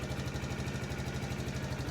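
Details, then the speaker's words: 2012 or 2013 TaoTao 50cc scooter with swapped battery: quick even putter at idle, steady beats, no misses or rattles, no heavy smoke; healthy idle. "We got juice. All right. She don't sound too bad. I don't see any crazy smoke."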